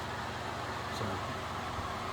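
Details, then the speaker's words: Early-1970s Hoover model 6710-12 12-inch two-speed oscillating table fan, running on high at about 1.1 A, within spec: steady low hum with coarse buzz riding on it from a loose winding coil in the stator. "it's running within spec, so it's a healthy runner. It just buzzes because of that loose winding."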